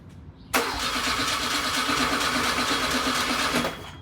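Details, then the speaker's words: Freshly rebuilt VW Type 1 1776cc flat-four on a bench stand at first start, static timing set near 10°: even starter cranking for about three seconds with no knocks or grinding; normal cranking before the engine starts. "we have oil pressure 30 all the way up to 40"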